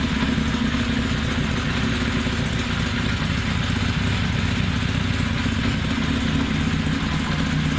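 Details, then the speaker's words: 1982 Kawasaki 750 LTD four-cylinder at idle, just fitted with pod filters on the carburettors: steady but slightly uneven, lumpy idle; carbs not yet rejetted for the pods. "huh well there you hear it for the first time the kawasaki 82 model 750 limited with pods again the carburetor has to be completely rejected so i'll be working on that next time"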